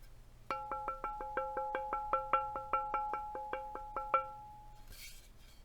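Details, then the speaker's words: NK87 aluminum keyboard, sandwich mount, with the bottom case dampening insert removed: quick taps leave a bright bell-like metal ping that goes away once the insert is back in. "that's the sound of the bottom case pinging without the white thing in there"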